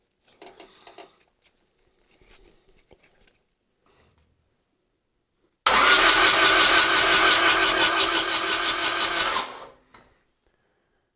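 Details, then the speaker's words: Rebuilt Yanmar 4TNE98 diesel swapped into a Caterpillar 216 skid steer, first test run: steady starter cranking, about three compression pulses a second, no firing; cranks but won't start. Owner suspects fuel lines not full, engine not sucking fuel. "okay I think that's I think the uh the fuel lines this isn't very full and I think it's not sucking fuel because I kind of moved it around and it was running better"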